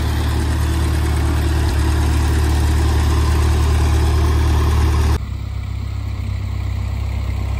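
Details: 1948 Ford 8N tractor on a test drive after rebuild: low, steady four-cylinder thrum at even speed, no knocks or misses; normal running.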